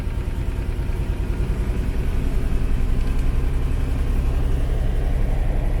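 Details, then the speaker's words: 1989 Ford F-150 with the 4.9L 300 straight six after a severe overheat, with repeated freeze plug failures. The idle is uneven and lumpy with a dropped beat, as if down a cylinder; owner suspects the head gasket, and a compression test is planned. "so this is the 300 straight six which is normally a super smooth motor um and it ran pretty smooth previously but i'm thinking she's down a cylinder too"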